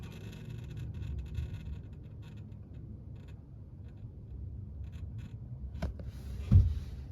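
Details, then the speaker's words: Normal running of an RV or camper water pump after replacing a broken water filter: a low, soft, steady hum as the lines fill, with no grinding. The noise stops once they are full, and leaks are being checked. "See some noise, the water is filling up."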